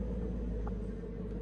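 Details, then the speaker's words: International Harvester tractor under restoration, cranking after reconnecting battery cables for better contact: steady low churning drone with faint mid tone as the starter turns the engine over without catching. "It's turning. That was actually unexpected."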